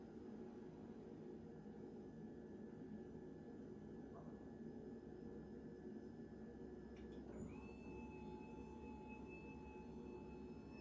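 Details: Theraposture Rotoflex rotating bed, run from the wall socket after the battery backup is ruled out and rotated into sitting position: steady electric motor hum with a thin whine that shifts pitch; smooth, even normal rotation.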